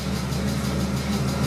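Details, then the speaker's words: BMW E30 with M52B30 engine on ITBs and hydroboost brakes, idling after pressure regulator replacement: after pressing brake, steady low power steering pump drone over even idle, stops when steering turned; owner suspects air bubble sticking flow control valve; power steering pump noise. "When I pressed brake a couple of times, you can hear the power steering pump. Now when I turn the steering wheel, the noise goes away. So what I think is that there is an air bubble at the flow control valve."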